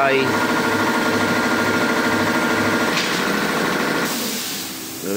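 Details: Yamaha FZ16 single-cylinder motorcycle idling with a loud, sharp, rapid tapping over the engine note; initially suspected near the sprocket, traced to a blown exhaust header gasket.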